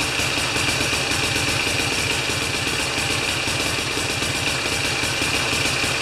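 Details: Older Briggs & Stratton mower after a half-turn adjustment: steady constant fast putter with even rhythm, no surging or stumbling; normal running.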